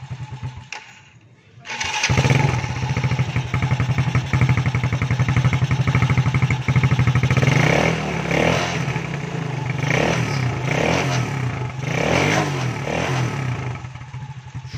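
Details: Motorcycle after Bendix starter clutch repair (starter had spun without engaging the engine): engine catches at once and settles into a quick, even putter with a few light blips; starts and idles normally.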